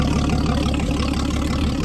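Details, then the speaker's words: 1956 Graymarine 100HP Continental F226 marine engine, now idling after carburetor cleaning and repositioning the #3 cam bearing that caused no oil pressure; steady even idle with regular low firing pulses, no knocks or misses, sounds good. "sounds good she'll live again"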